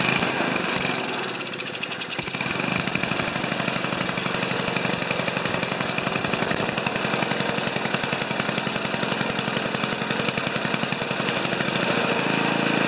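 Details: Old five-horsepower Ariens 2+2 two-stage snowblower engine, low-speed jet set around one and a quarter turns: uneven, lumpy beat at steady speed with some surging; running rough rather than a clean idle, cause not confirmed.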